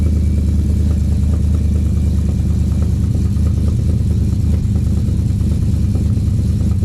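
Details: Freshly swapped 6.2 V8 in 2013 Silverado GMT900, in break-in before break-in oil change, cold idle: deep steady even low rumble, no knocks or misses; quiet, holds oil pressure, sounds healthy.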